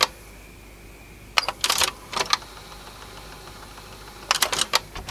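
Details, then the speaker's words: Sony TC-W290 dual cassette deck, soft-touch plastic mechanism with DC servo motor, before repair: two short bursts of light, quick clattering as the transport tries to go into play and fails; odd rattling noise, cause unclear. "making a bit of an odd noise as well something rattling there"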